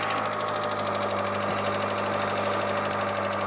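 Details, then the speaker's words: Hydraulic lifter (гидрокомпенсатор) ticking loudly at idle, present cold and hot; fast even tick keeping pace with engine speed. Oils from 0W-20 to 10W-60 tried without effect; Suprotec Active Regular additive applied as fix. "проблемы здесь следующим очень сильно стучит гидрокомпенсатор и как бы Волшебная присадка Супротек должна помочь с этой проблемой"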